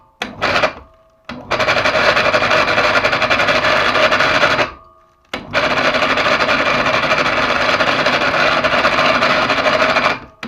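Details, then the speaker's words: PA 250/500 mini electric hoist, new but previously water-soaked and dried, bearings checked okay: harsh rasping whirr with thin whine each run; noise persists, suspected brake pads rubbing or failing motor. "вероятнее всего задевает колодками по звуку или все-таки движок накрылся"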